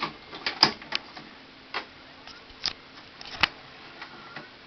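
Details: 2005 Symphonic VCR/DVD combo eating tapes: sharp dry ticks in uneven bursts over quiet background as the mechanism chews tape.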